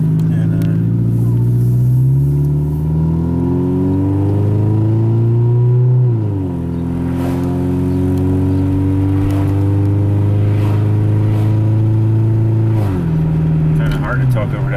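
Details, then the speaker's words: Toyota Camry, non-interference engine, test drive near operating temperature after timing belt, water pump, idler, cam seal and valve cover gasket replacement; loud raspy exhaust drone rising and falling through gear changes; engine runs well. "exhaust right at least you can hear it yeah Run's good everything we did is good"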